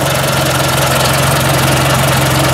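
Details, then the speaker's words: Ford 800 tractor idling just after a cold start, with a new muffler installed: steady, even low idle with a firm, regular beat, no popping, ticking or exhaust-leak puffing; normal idle. "listen for any noise it sounds pretty nice and tight there now"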